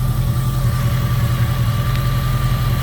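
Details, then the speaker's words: 2002 Jeep Grand Cherokee 4.7 HO V8 just after start, with a coil melting/misfire problem: even, deep steady idle, no stumble, running smoothly on all eight; coil 3 reportedly drops out after a few minutes of running. "Yeah, she's running on all 8. You start it, she runs on all 8."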